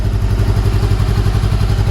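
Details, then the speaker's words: Salvage-auction 2013 Honda CBR500R twin, first start after oil change and new kill switch: fires right up, quick even exhaust pulses at steady idle with no knocks or misses, sounds healthy. "all right guys as you heard the bike fires right up and it sounds really good so that is amazing"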